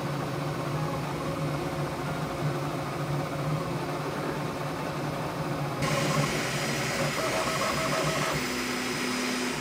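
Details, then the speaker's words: Bambu Lab P1S printing the same test cube after the firmware 1.05 noise-cancelling update: steady whirring with shifting stepper tones over fan hiss. No sound difference noticed from the update; normal printing noise. "this is the second Cube that I printed with the new update while waiting on it I didn't notice any sound difference no noise cancelling"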